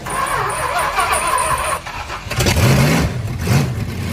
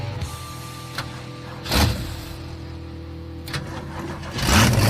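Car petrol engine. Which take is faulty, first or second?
second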